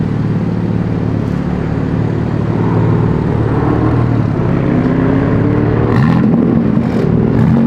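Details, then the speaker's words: Sports car in M mode with exhaust valves opened and factory burble tune: deep even exhaust drone climbing in pitch as the car pulls, smooth firing, no misses; louder but normal, healthy exhaust note. "so at the very last minute i figured out how to open the valves on the exhaust put this thing in m mode sounds a little bit better a little bit louder"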